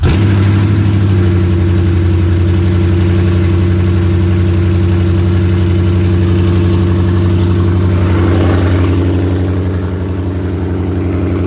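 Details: Coyote V8-swapped 1979 Mustang Pace Car idling in neutral just after start on open headers, base-file tune: loud, deep, steady burble with an even firing rhythm, settling slightly near the end; healthy cold idle.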